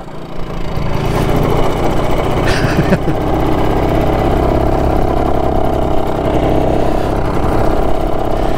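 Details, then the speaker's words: BSA D7 Bantam two-stroke restoration project with a new spark plug, on its first ride around the block: picks up into an uneven, lumpy beat with ragged firing; rough running, and owner thinks the carburettor might need fettling. "So it doesn't sound too clever,"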